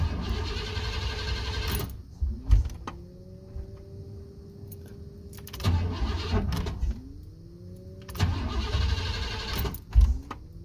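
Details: 1988-1998 Chevrolet C1500 pickup, fuel pump kicks on; three cranking bursts with starter whine, engine never catches after heavy rain, cold then hot humid weather. Crank no start; owner suspects moisture in distributor, unconfirmed.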